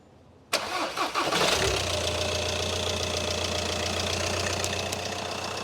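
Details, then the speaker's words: VW Caddy with a 2.0 TDI common-rail engine swapped in for the 1.6, first start after the swap, fuel lines never opened: brief crank, fires almost at once, then steady even diesel idle with no knocks or misses; healthy start. "I was expecting it to crank a little longer but again I haven't had the fuel lines off so it didn't have to bleed"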